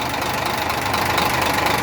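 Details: Idling engine with a busy, uneven tapping over a steady idle: a clear engine knock whose source is not yet diagnosed.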